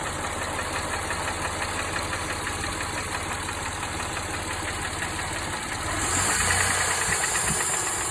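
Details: Mitsubishi Montero Sport 6G72: light, fairly regular knock over steady idle, intermittent, more frequent as revs rise; oil pressure stable, no smoke; owner unsure whether hydraulic lifter, piston pin or bearing shell is the cause.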